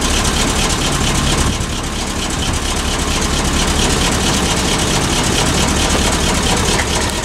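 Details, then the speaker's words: Ether-assisted cold start of a 1986 Ford F700 toterhome with a mechanically injected 8.2 L Detroit turbo diesel. It settles into a steady, loud idle with an even clatter and no misses. A little smoky cold but runs well and quietly, with no blow-by. "little smoky but she is old i mean mechanical injection she's gonna be a little smoky when she's cold but it does run really well and it's really quiet as well"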